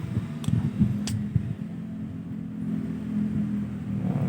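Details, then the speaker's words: Born Pretty electric nail drill that would not turn on, repaired after water ingress corroded the BMS circuit: steady low even hum, no knocks or grinding; after repair the motor runs smoothly and healthy. "Dari suaranya aja udah kedengaran ya. Ser gitu."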